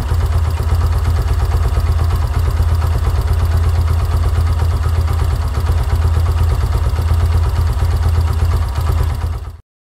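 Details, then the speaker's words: Yamaha YBR125 single-cylinder CV carburetor, idle 1300-1500 rpm, idle mixture screw at 2 turns: even steady thump at a settled idle with no misses or hunting, then cut off cleanly; normal smooth idle. "the idle is more smoother at 2 turns."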